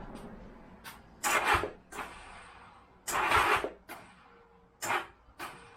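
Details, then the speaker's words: 1983 Honda GL1100 Goldwing barn find, starter solenoid borrowed: short sluggish cranking bursts with long gaps, starter barely turning and never catching, from a spare DRZ battery down to nine volts lacking cranking amps; weak battery, slow cranking. "this is just a spare battery from the DRZ it's not it's not gonna have enough crank and amps it's only got nine volts now"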